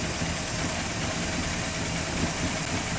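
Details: 1985 Chevrolet Monte Carlo SS, 350 V8, after flood, radiator cap off, running on choke: deep, steady rumbling idle with even, unbroken beat and no knocks or misses; water from the exhaust stack.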